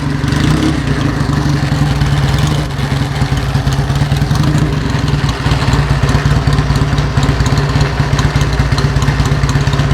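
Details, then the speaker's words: 1949 Indian Scout V-twin running after a fresh battery charge: a loud, lumpy idle with a heavy, loose clatter on every firing pulse, from the battery case sitting loose without its metal hold-down strap; the engine itself sounds good. "So the big rattling you're hearing is because the battery case Yeah. is missing the strap. So it's Okay. just sitting there."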